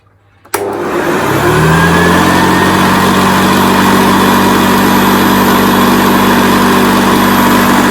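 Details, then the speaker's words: 1978 Hoover Senior Exclusive U4058 upright vacuum after repair and restoration, switched on with belt and brush bar turning: motor spins up quickly to a steady, even hum, no rattle or knocking; runs lovely. "This one now runs lovely, and I mean that is with the belt going around, the brush bar going around as well."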